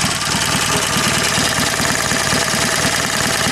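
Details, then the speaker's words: Heavily modified BSA A10 twin at idle, standard timed breather replaced with two one-way Bunn valves: steady idle with quick even clacking about eight times a second from the breather valves; normal running, system working well. "system works really really well you can hear them clacking away on the video you can certainly him if you put your head closed enough to hear them clacking away"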